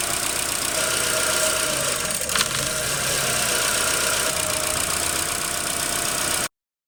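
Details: 2007 Chevy Aveo petrol engine at startup: high idle followed by rough, uneven stumbling idle under a strong hiss; scan tool shows codes P2106, P2110, P2135, P0172, P2188, P0106, P161B.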